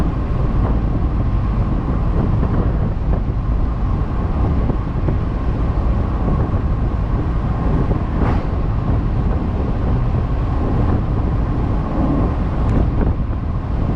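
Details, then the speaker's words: 1998 Ford Mustang base V6, suspected head gasket issue with oil getting into the coolant, cruising at 60: steady even drone, mostly road and wind rumble, with no knocks, misses or surges, running smoothly. "you know we're moving along here at 60 and it sounds good it feels good runs great sure it's only the v6 but it's got a little bit of oomph behind it"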